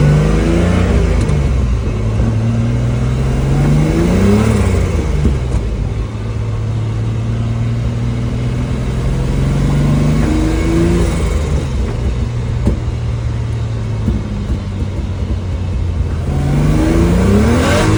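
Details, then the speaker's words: Turbocharged BMW E46 with a new turbo fitted and exhaust leaks fixed (previously only 3 psi boost): it pulls cleanly through the gears, the note rising and dropping with each shift. "New turbo is on. Exhaust, everything is secure. No more exhaust leaks. It feels like a whole different car, to be honest with you."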